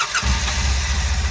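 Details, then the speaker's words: 2008 Polaris Ranger Crew XP 700 fuel-injected, after starter clutch (Bendix) replacement for starter spinning without cranking: brief starter whir, engine catches immediately and runs with even low pulses; starter now engages properly, normal start. "we go works like it should I guess time will tell um on the longevity of that fix but should be good to go"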